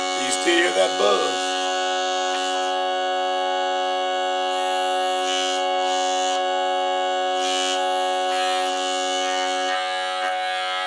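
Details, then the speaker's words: Jensen V21 upper compression driver: steady stack of tones with a raspy, bumblebee-like buzz on top that persists after adjustment; diaphragm is worn out and unusable, buzzing at certain frequencies. "so even though I was able to get out some of the buzz I can still hear the buzz in there this lets me know that this diaphragm the shot I can't use this anymore"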